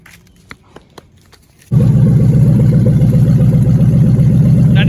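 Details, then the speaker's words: V8 engine; after faint clicks it catches and runs with a deep, steady, even rumble; engine sounds healthy. "it sounds good"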